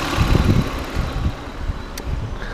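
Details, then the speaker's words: Lexus RX300 V6 with misfire codes on cylinders two, four and six, coils and plugs to be replaced: lumpy, uneven idle with irregular low thuds breaking the beat every few firings; multi-cylinder misfire. "he's got an engine communication random cylinder two cylinder four center six oh my god"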